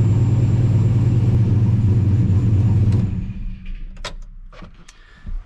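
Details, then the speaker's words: Turbocharged Chevy Silverado with Holley Dominator EFI, running badly before tuning, battery having just died, engine slightly warm: steady low cranking churn about three seconds, cutting off abruptly; labored start, cause unconfirmed. "not quite what i was expecting but again based off how bad this ran i figured we were gonna have to do some out of the ordinary type of stuff"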